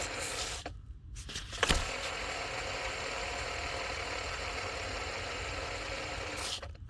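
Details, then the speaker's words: 2002 Mercedes-Benz SLK32 AMG with the serpentine belt removed, supercharger pulley spun by hand: it spins freely but gives a gritty, grinding whir as it coasts down. Bearing needs replacing. Supercharger pulley bearing noise. "so it spins well but it is making some noise I will need to look into getting that bearing replaced"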